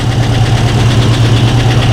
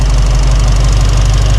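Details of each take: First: Mustang V8 with new Holley Sniper 2 fuel injection, first start after sitting a long while, fired on second or third try; fast, even light ticking over steady idle, owner hears a lifter ticking. Lifter tick. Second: Mustang V8 after Holley Sniper 2 fuel injection install, initial start-up and programming, throttle body adjusted to bring idle down; deep, steady idle with even lope, no knocks or misses. Normal idle.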